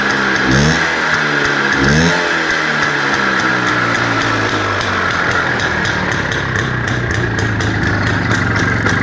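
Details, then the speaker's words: IZh Planeta 5 motorcycle with a key-operated dynastarter, being sold, engine revved for listening. Two quick throttle blips rise and fall cleanly into an even two-stroke run with no knocks; the seller says the engine makes no bad noises, and a road test found no faults. "Mana motori. Motor holati. Gaz berib ko'raman, quloq solib ko'ring aka."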